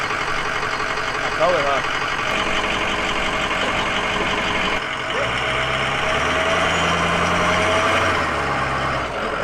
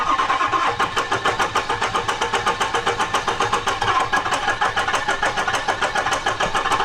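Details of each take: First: Ford 6.0 Powerstroke diesel in a flip truck after an engine swap: a steady, even diesel clatter at idle with no misses, knocks or surging and no check engine lights. The engine sounds solid and runs well. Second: 6.0 Powerstroke diesel truck: the starter cranks in even pulses of about 3.5 per second but it won't start. Air in the fuel and oil, smoke from the exhaust, injectors clicking; crank no-start, cause unconfirmed.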